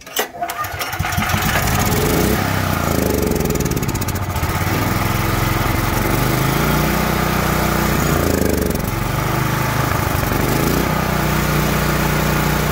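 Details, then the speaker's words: Troy-Bilt XP 10,500 W generator, Briggs & Stratton 2100 series engine, won't start or stay running: started on starting fluid, it runs hunting and wavering only while choked; bad gas gumming the carburetor, fixed by carb replacement and tank and line flush. "As long as I choke it, it's gonna stay running after starting it on starting fluid. That's just kind of a telltale sign, bad gas."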